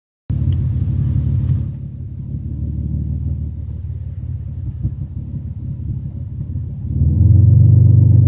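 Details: Toyota Camry engine throttled from idle to 5000 RPM and back, deep loud exhaust rumble with rough puffing edge from an exhaust leak; loudness exaggerated by cellphone mic.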